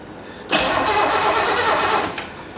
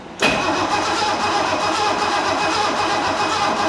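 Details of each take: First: 1969 Mercedes donor car being checked to see if its engine is good: about 1.5 seconds of steady starter whirr that sounds healthy but never fires. The coil spark test shows no light, the points are not yet serviced, and it cranks with no spark. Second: 1969 Mercedes donor car being tested for its engine: the old starter spins the engine briskly and evenly for about four seconds with steady compression pulses and no dragging. Cranking is strong and much better than before, with spark plug wires not yet attached.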